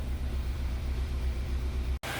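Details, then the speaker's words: Peugeot 307 SW with an antipollution fault: low, slightly uneven limping idle with a mild misfire, exhaust sounding dead; owner suspects a vacuum, valve or combustion-chamber leak, to be confirmed by top overhaul. Rough idle. "Dan ee mobil ini pun mesinnya agak kurang enak teman-teman ya. Agak sedikit pincang gitu ya."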